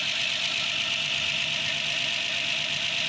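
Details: Rebuilt Ford 215 inline-six in a GMC truck, first cold start after rebuild with choke on and oil pressure up: settles into an even, steady idle with no knocks or misses; sounds healthy.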